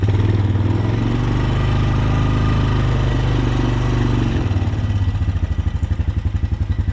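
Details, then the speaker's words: Honda TRX250TE Recon quad after rebuild (head rebuilt, crank and rod bearing replaced), still breaking in and ridden gently in first gear: steady, low single-cylinder thrum settling into an even pulse, no knocking or clatter; peppy, running smoothly. "We're still breaking it in, so we ain't gonna be romping on it or nothing. But for a little quad, this is pretty peppy."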